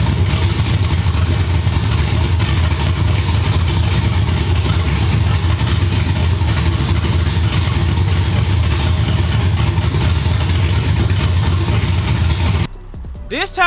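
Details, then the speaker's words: Cammed LS V8 in a G-body after finally fixing its running issue: deep, lumpy idle that is steady and even, with no misses, pops, flames, smoke or heavy gas smell. Cleanest it has run; normal idle. "I'm sure it y y'all didn't see no white smoke y'all didn't see nothing abnormal this time it wasn't popping it wasn't shooting flames it wasn't doing nothing that was the cleanest this car has ever ran"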